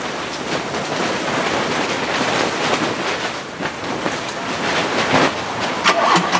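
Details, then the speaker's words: Running engine with a rough, hissy drone and short high belt chirps: the alternator pulley's belt groove is worn deep, so the belt squeaks even though properly tensioned; pulley to be replaced. "услышите вот такой вот у нас происходит писк"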